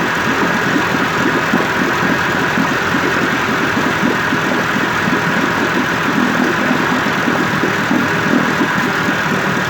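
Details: 1958 Evinrude 18HP Fastwin two-stroke outboard after rebuild (replacement powerhead, new rings, crankpin bearings, NGK B6S plugs), 30-weight oil mix, in water, cover on: even, steady idle burble, no misses, knocks or surging; healthy.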